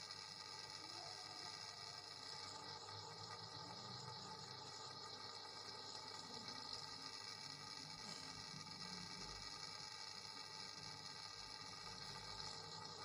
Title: buzzing sound coming out from wall